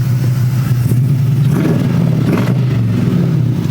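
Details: 1984 Buick Electra station wagon with swapped LS1 V8 and automatic transmission, back at the workshop after a drive: deep even burble with smooth rise in revs, no knocks or rattles; normal healthy rev.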